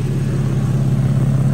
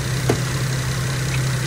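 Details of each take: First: 2012 Infiniti M37x V6 idling after radiator replacement: fast rhythmic low puffing in time with firing from an exhaust leak at a failed gasket. The leak can be felt by hand. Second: 2012 Infiniti M37x after radiator replacement, idling while coolant system bleeds; smooth, steady idle with an even low hum and no knocks, misses or hunting, running normally.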